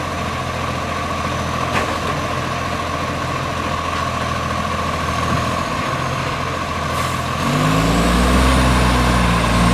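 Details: Brisbane garbage truck 707 diesel: rough idle with quick regular puffing tick that steps up as revs rise; exhaust leak at manifold or pipe.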